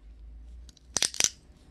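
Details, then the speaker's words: Carbon fibre seatpost clamped hard in a bench vise to show its weakness under a clamp: a pause, then four or five sharp, dry crackles as the fibres break inside and crack. Carbon fibre cracking under clamp pressure. "이렇게 잡아서 한번 꽉 눌러 볼게요. 아주 경쾌한 소리가 나죠. 타면서 이런 소리 나면 소름 끼치겠죠."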